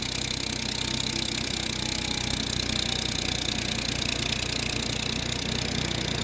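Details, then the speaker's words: 2012 Ford F-150 EcoBoost on cold start at idle: quick, light chirping over the engine, also a loud squeak under throttle on the road; turbo exhaust manifold gasket leak suspected, not confirmed. "so this is a 2012 EcoBoost getting a chirping sound on cold start after reading up to say it's this manifold gasket"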